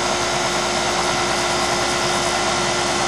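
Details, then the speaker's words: York fixed-orifice heat pump dangerously low on refrigerant, very low low-side pressure: steady hissing rush with thin constant tone over compressor hum during charging; compressor tone changes as charge added; low refrigerant charge. "Look how low that pressure is on the low side. Definitely a low charge state."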